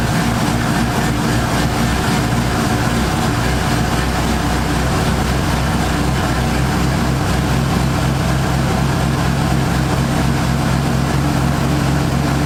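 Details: 1978 Ford Fairmont Futura inline six after GT40P head swap, Holley two-barrel carburetor, just started: steady, even low rumble with no knocks, misses or hunting; idles smoothly, vacuum in the green, electric choke may need adjusting.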